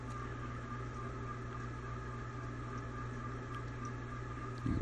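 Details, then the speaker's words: Old, dusty ceiling fan at full speed running in reverse direction: steady hum with constant high-pitched whine and some squeaking; crunchy, long-ungreased motor bearings are worn; blades possibly unbalanced too. "can definitely hear actually starting to hear a little bit of squeaking in this direction. It's definitely crusty though."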